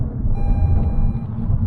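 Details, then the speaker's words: A car's speed sign recognition detects a 20 mph zone and gives one steady beep of about a second over road rumble once speed reaches 21 mph. "so every time I exceed that limit it not only lights up in bright red the car beeps at me so I want to stop that"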